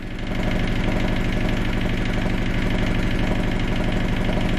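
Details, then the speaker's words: 1978 Yanmar YSB8 marine diesel in a sailboat, run for the first time after sitting 10+ years in a flooded boat: slow, even chugging at idle with a steady beat and no knocks or misses; it runs fine. "Working motor."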